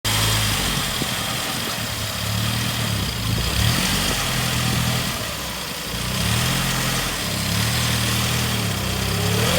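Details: 2002 Saab 9-5 Aero engine under load reversing or driving up a kerb, with a burning/rubbing smell: uneven low pulsing drone swelling and fading; abnormal extra noise, cause unknown.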